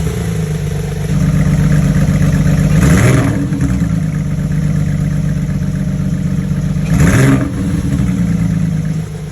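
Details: Porsche 991.1 with a cylinder 2 misfire, code P0301 as stated: a deep, slightly lumpy idle with two quick throttle blips, an uneven beat fitting a single-cylinder misfire.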